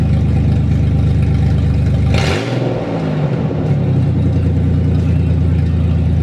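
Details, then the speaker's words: Truck engine with the exhaust removed from the headers down for muffler weld repair gives a deep, loud, rasping rumble with a quick rev, the raw bark of open headers. "so anyways I was gonna show you guys how loud my exhaust is from just like the headers down there's like a white pipe but like it's basically from the headers down"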